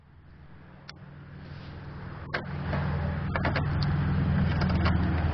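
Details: Murray engine with a battery that keeps going flat: repeated low cranking drone at about three strokes a second, never catching. Cranks but won't start.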